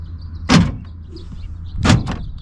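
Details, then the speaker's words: 1989 Chevy Suburban (5.7L 350 TBI), driver's side power door locks after replacing the door lock switches: two quick, crisp solid thunks a little over a second apart; locks work properly and seem to have more power now. "Alright, now what about the driver's side? Lock, unlock, and actually it seems to have a lot more power now."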